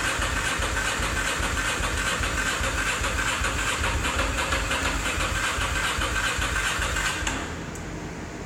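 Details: 2003 Ducati Monster 620: the starter spins the engine at an even cranking beat for about seven seconds, never fires, then drops out; cranks but won't start. Owner suspects the battery, a friend suspects ignition.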